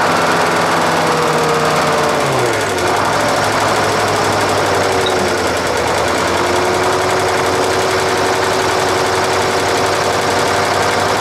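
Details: Nissan Diesel UD5 two-stroke supercharged uniflow-scavenge diesel, air cleaner removed: revs drop and settle into an even, smooth beat with light, quick ticking from the compressor breathing through the open intake; running healthily.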